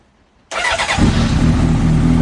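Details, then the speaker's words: 2004 Honda CBR600RR that would not prime its fuel pump, fixed by reassembling the key with its immobilizer chip: quiet, then engine catches instantly and settles into a strong, even idle without stumbling; starts cleanly. "the bike start straight away guys that been a long two weeks but I finally got there"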